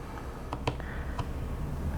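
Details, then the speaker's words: ARP-9/AK airsoft gearbox during reassembly: amid light handling noise a sharp, clean audible click as the gear set is released and rotates back, showing the anti-reversal latch is fitted and engaging properly. "letting go and then you can hear the click hear that audible click and again now that means that when this gear set is spinning around when you let go of the trigger it's going to rotate backwards and click so that's good"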